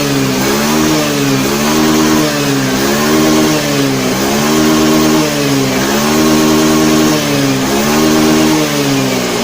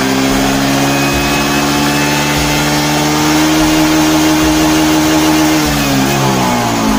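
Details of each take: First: Honda Beat FI scooter after fixing hesitation on snap throttle traced to the throttle position sensor, ECU reset; revs up and down smoothly in even repeated blips, picking up cleanly each time; running normally. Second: Honda Beat FI scooter with sluggish, powerless acceleration, cleaned but not yet disassembled: throttle snapped, revs barely lift, hang flat then sag; bogging traced to faulty throttle position sensor connection.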